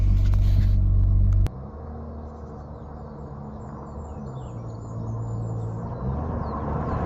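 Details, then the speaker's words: Rover 800 Sterling Coupe 2.5 KV6 being recommissioned: loud, deep, hollow rumble at idle with a steady throb and no muffling; exhaust leak from a rotten rear silencer, a common Rover 800 failure. "As you can hear, the rear silencer's going, and these Rover 800s always seem to go on the silencer all the time, so that's something to do."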